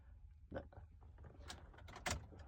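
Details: 2007 Honda CR-V right rear door lock actuator after replacement: only a few short, clean clicks as the lock cycles, no buzzing or grinding; the new actuator works normally.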